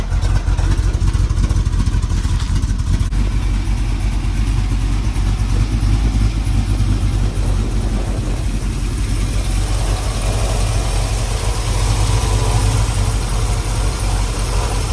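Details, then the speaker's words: 1968 Suburban with 5.3 LS V8 swap after cam sensor, wiring harness and loose ground fixes: loud, steady, deep idle with even low rumble, no misses or knocks; running great. "all righty y'all that thing is running great it's definitely the best it sounded up to this point so we're really happy"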